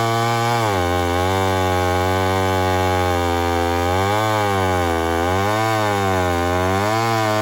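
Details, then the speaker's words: Homelite 1050 100cc two-stroke chainsaw with 404 chain, first test cut in wood: screams, then repeatedly sags and recovers in pitch under load; bogging, owner suspects an air leak, cause not confirmed. "i'm pretty suspicious of an air leak so we'll find out"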